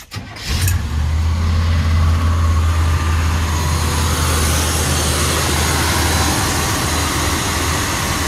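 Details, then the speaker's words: GMC 3500 V8 truck with an Edelbrock carburetor after retuning: quick start, then a steady, even idle with no misses or knocks; slight smoke, which the owner suspects is burnt oil from washed-out cylinders. "right guys that is awesome we got the thing running flawlessly now"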